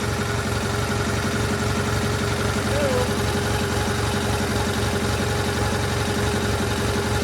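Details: GT/18 twin after ignition rebuild, no choke, low idle: steady even low chugging with no misses or knocks; charging system working, runs better, carburetor still needs tuning.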